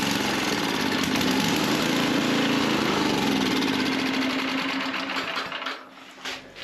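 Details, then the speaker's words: Husqvarna string trimmer with loud, barely muffled single-cylinder beat hunting up and down about four times a second, surging stops when choked; suspected dirty carburetor jets, started on starter fluid and fresh gas, before carburetor cleaning. "Okay, that was loud. Yes, that muffler don't muffle much, but you could hear it cycling through there."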